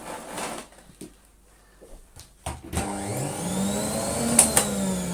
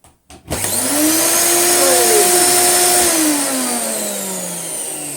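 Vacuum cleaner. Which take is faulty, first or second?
first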